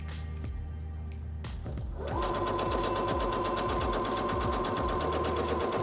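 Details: Singer HD6600C sewing machine sewing on fabric, presser foot down: quiet, then an even motor hum with fast steady needle ticks for about four seconds, stopping cleanly; stitching normally.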